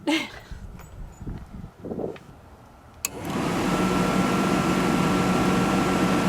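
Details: Atwood/Dometic Hydro Flame RV furnace test after circuit board replacement (it previously turned on but wouldn't ignite, water had leaked inside): quiet clicks, soft whoomp of ignition, then steady even roar with faint hum; lit and running properly.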